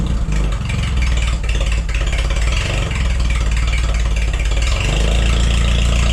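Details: Forklift engine after replacing the bad spark plug: smooth, even idle with a steady low beat, no skipping or stumble; misfire fixed, runs great.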